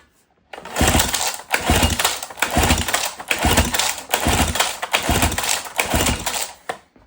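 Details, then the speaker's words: 1977 Johnson 9.9 outboard, sat for years, electric-start cranking during compression test of top cylinder: uneven chugging about one cycle per second, no firing; about 88 psi versus ~101 on bottom, right at the 10% threshold. Low cylinder compression. "Looks like we have just shy of 90 like 80 88ish."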